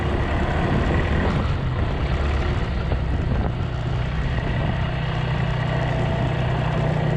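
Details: Polaris 300 Sportsman quad after drive belt replacement, rear bushing and new coil, warming up: low, even idle rumble holding steady under light rain with no knocks, slips or squeals; idling smoothly.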